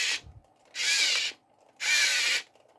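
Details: 1:32-scale RC excavator run from a 5V 2A mini DC-DC boost module with input raised to 4.2 V (full LiPo charge): two short bursts of high, buzzy whirring as the drive motors run at normal steady speed, with a smaller voltage drop than before.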